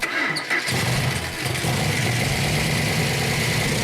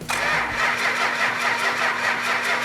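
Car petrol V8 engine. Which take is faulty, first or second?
second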